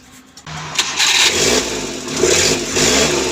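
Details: Suzuki Scrum F6A 12V that wouldn't start, after new distributor, cap, high-tension wire and rotor (bad rotor found): starter turns briefly, engine catches at once and runs steady and even; normal start.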